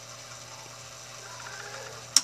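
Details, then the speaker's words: Electrolux LQ washing machine that makes a strange noise and won't spin: quiet motor hum, then a sharp click as the drain valve actuator releases; the faulty control board keeps pulling and releasing the valve. The valve itself is also broken and needs replacing. "Escuta que ela ela dá o início de trabalhar só que ela puxa e solta a válvula né ela puxa e solta a válvula e se ela faz isso olha aqui é porque isso aqui não é porque a válvula esteja com problema"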